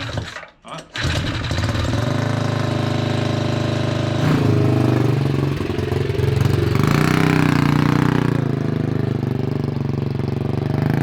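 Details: 228cc 4WD Ford Bronco power-wheels go-kart at first start after finishing: fast, steady single-cylinder buzz that won't drop back to idle, plus chain-and-sprocket noise. The idle screw is suspected and the throttle feels like it has pressure on it. High idle.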